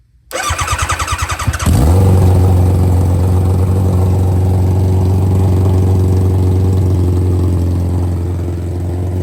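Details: Barn-find nitrous Hayabusa revived, good oil pressure: starter cranks in quick pulses, catches near two seconds and settles into steady, even idle with no misses; normal start and idle.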